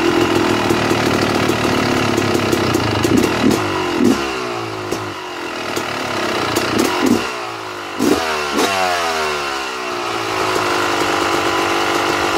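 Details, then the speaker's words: 2009 Yamaha YZ250 two-stroke, pilot air screw set correctly: sharp throttle blips falling cleanly back, then steady crisp ring-ding idle without hunting; idle starts slightly high then drops a tiny bit. "when i think it is set correctly the idle will start up kind of high and then it will drop down another tiny bit"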